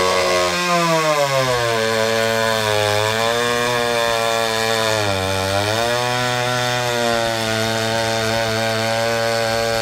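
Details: Restored vintage Pioneer P41 66cc two-stroke chainsaw after a carb rebuild and a free-flowing muffler, fitted with a 24" Oregon bar, cutting wood. It revs, dips as it bites, then recovers smoothly, with loud crisp exhaust, more powerful than expected. Normal running under load.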